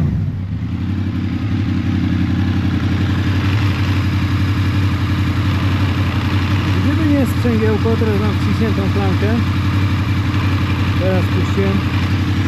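Steady V4 idle carrying a loose, fairly regular light rattle of about three per second: a worn clutch basket chattering with the lever out.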